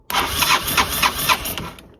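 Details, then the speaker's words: Bench test of a 1985 Honda Elite CH250 engine swapped into a 1984 Elite 125, starter jumped straight from the battery: short, quick, even whirring spin with no grinding or hesitation; starter motor works. "That sounds good. So, that means we're set, right?"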